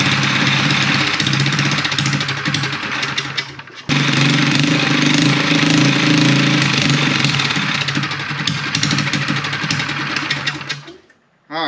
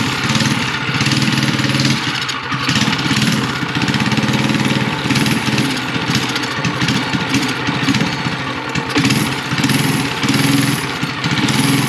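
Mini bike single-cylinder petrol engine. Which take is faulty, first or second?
second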